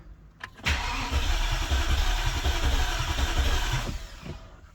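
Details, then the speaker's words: BMW E65 735i V8 first crank after engine swap, fuel pump fuse removed so cranking only: steady, even, brisk cranking with no dragging or uneven spots; compression present on all cylinders, normal cranking. "okay sounds normal we have compression we have everything okay that's a good sign"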